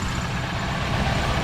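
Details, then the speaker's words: 1998 Mustang GT 4.6 V8, 5-speed manual, at idle: rough whirring in the engine note that fully quiets when the clutch is pressed; a worn throw-out or pilot bearing is suspected, not yet confirmed. "that noise that you hear is uh the draw bearing or the pilot bearing one of the two not sure yet you can hear it definitely goes away once you press on the clutch completely quiets down"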